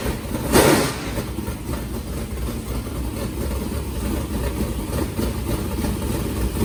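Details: New MB Custom race car being readied for the season, warmed up during an oil change, with different Speedworks headers: deep, choppy idle pulsing steadily and evenly with a strong low rumble, no knocks or rattles; healthy.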